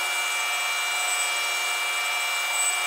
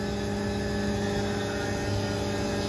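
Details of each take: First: A Tormach 1100MX CNC mill boring holes in 6061 aluminum plate for a custom Brembo brake caliper bracket makes a steady high cutting hiss with faint ringing tones. This is slight chatter, barely visible on the part. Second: Tormach 1100MX CNC mill cutting a 6061 aluminum custom Brembo caliper bracket for a 1997 Chevy Silverado: steady, even cutting hum with constant spindle tone and no chatter; cutting cleanly.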